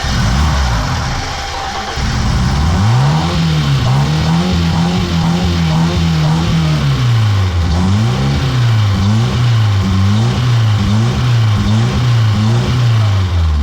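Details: BMW E30 first start after 3 years sitting silent: engine picks up cleanly, holds a smooth rev, then takes quick even blips with no misfire; runs normally.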